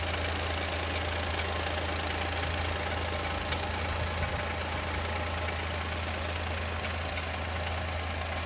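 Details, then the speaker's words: 2020 Chevrolet Onix naturally aspirated, 4,000–4,500 km, present since new: light ticking knock about three per second at idle; owner suspects lifter or piston pin, dealer check pending. "Isso acontece desde quando comprou o zero. Ó, tá batendo, ó."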